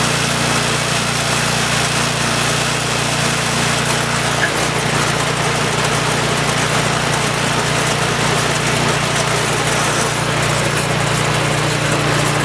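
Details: Troy-Bilt Storm 2840 28" snowblower (model 31AH64Q4711) with a Chinese-built 277cc OHV engine (about 8 hp); first pull-start of the season at full throttle. Constant, even single-cylinder buzz with no misses or surges; running clean and healthy.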